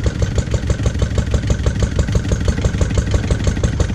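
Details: Lister D single-cylinder petrol engine, first start after 20+ years and restoration: slow thumping around three per second, uneven, surging slightly beat to beat; owner suspects timing and carb settings need adjusting.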